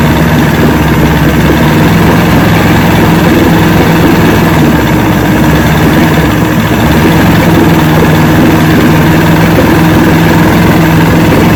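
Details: 1970 Evinrude 85hp outboard with hydroelectric shift, about 50 years old, new water pump impeller, running on a water container. Deep, even idle with steady firing and no misses or knocks; carburetors seem in good shape at idle, full throttle still untested.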